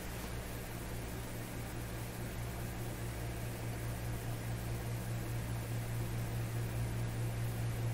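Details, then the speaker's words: RCA Victor A38 shortwave tube radio after replacing the IF-stage paper capacitors, with a 115 Hz test signal input: a low putt-putt motorboating at about four per second over mains hum and hiss; cause not yet determined. "hear the motor boating sort of sound so we're still putting in 115 hertz"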